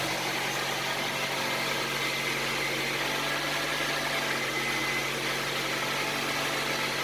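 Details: Honda CR-V idling after an engine reseal, just started: smooth, even idle with a steady hum. The earlier tapping is gone and the valve train sounds quiet and healthy.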